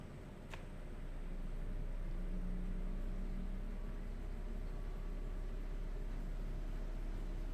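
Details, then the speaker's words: GE Profile air conditioner compressor kicking on: a low, even drone settling in, before the usual piercing whine starts. Normal compressor running. "get ready i don't mind this this is just it working that's fine"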